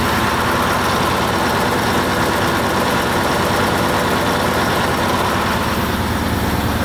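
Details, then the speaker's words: Truck V8 diesel (the 143) after water entered the engine, restarted with fresh oil after sitting and warming up: steady even clatter at idle, no knocks or misses; oil pressure correct; normal idle. "vamos deixar ele dar uma esquentada deixa ele dar uma esquentada né A princípio tá certo é só porque ele ficou parado"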